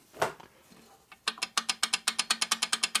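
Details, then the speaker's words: 1946 Harley knucklehead 84ci stroker rebuild, cam and gears turned slowly by hand: crisp even clicks about seven per second from lots of gear backlash at the circuit breaker gear; more expected with idler added. "A lot of backlash and then gears. All that noise you're going to hear is from that right there, that circuit breaker."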